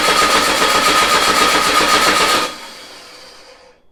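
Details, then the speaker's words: VW Beetle engine sitting two years, on a start stand with control box, carburetor bowl filled with fuel, good oil pressure; even starter chug about four beats a second for 2.5 seconds with no firing; cranks but won't start. "Master switch on. Coil on. Let's fire it. What the hell? Not even trying."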